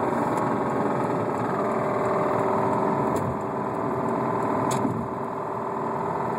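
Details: 2007 Subaru Outback with a spun bearing, driven 14k miles afterwards, check engine light on, on the freeway at about 60 mph: a steady fast rod knock over a rough, labouring engine. It stalled twice and then seized.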